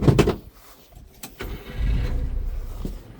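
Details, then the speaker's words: Subaru Sambar crane mini truck idling with the engine cover dropped, new plug wires: small engine idling low and steady under handling noise, no misses or knocks; no blowby, wet exhaust or oil leaks; runs excellent. "All right, this thing runs excellent. See no blowby, no wet exhaust, no oil, no leakage, no seepage here around the valve covers. Listen to that motor."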